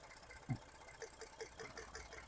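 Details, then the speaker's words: 2012 Ford F-150 3.5L EcoBoost with 296k miles and random misfires under load: cylinder three's coil-on-plug fires sharp, crisp snapping ticks about five a second over a quiet idle, a strong spark from a healthy coil. "There's the good strong one. Cylinder three. I can hear it."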